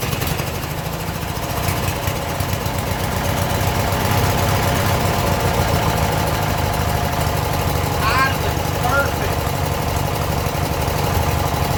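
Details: Abandoned 1996 Briggs 17hp I/C flathead opposed twin, running on its own for the first time in over ten years; the weak battery couldn't crank it fast enough. Steady, fast putt-putt, even rhythm, no stumbles or misfires; normal running.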